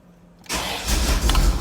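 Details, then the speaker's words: Bone-stock 1989 Corvette, 77,000 miles, on its third fuel pump, loses fuel pressure after about 20 miles: starter cranks steadily but engine never fires; crank no start, fuel delivery problem suspected, cause unconfirmed. "all right well it tries but it won't feel the gas like i i'm just oh my god i can't win"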